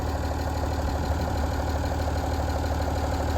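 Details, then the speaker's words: 1975 White 2-150 tractor, diesel, revived after 19 years dormant: steady, even idle throb at about three beats a second with no misses or knocks; owner is happy it's running quite smoothly. "yeah I'm really happy with that it's actually running quite smoothly"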